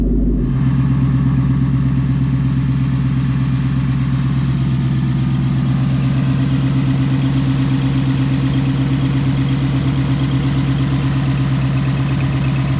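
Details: Tuned 2019 Ford Mustang GT after warranty throttle body replacement for sticking throttle motor: engine fires up into even steady idle with smooth low rumble; previous popping gone, healthy.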